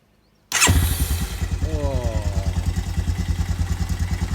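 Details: Honda Fourtrax TRX250 quad after starter motor repair (brushes swapped, original housing refitted): cranks briefly, catches at once and settles into an even, steady thumping idle; starter and start healthy.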